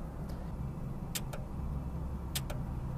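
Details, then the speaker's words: 2013 Dodge Dart 1.4 L, crankshaft position sensor signal circuit pulled down repeatedly with a tester simulating the sensor: sharp paired clicks over a low hum as the engine computer responds, showing the circuit and computer are intact. "you hear that clicking i don't know how much that picked up but what i'm doing is i'm actually testing the integrity of the wire the signal circuit from the crankshaft sensor all the way to the computer and i'm also verifying that the computer is seeing a change"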